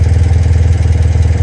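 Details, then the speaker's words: BMW Airhead twin with failed alternator, just started on a dark evening, no generator light, battery at 12.6 V: steady, lumpy idle at roughly nine firing pulses a second, a little high; idle needs adjusting. "so now we're idling it's a little higher my idol i don't know why exactly i guess i will have to adjust that a little bit"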